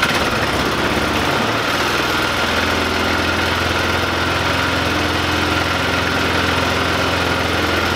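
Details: 2005 Polaris Ranger 500 UTV after cleaning out and refitting a gasket: steady, even single-cylinder idle with a smooth low thump and no misses or knocks; engine running healthy.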